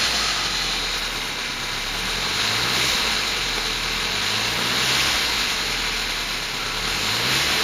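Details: 2004 Volkswagen Passat 1.8T GLS turbo petrol at idle: hissy top end with a light tick that comes and goes, from the rear of the engine, worse at startup; some suspect a lifter, unconfirmed.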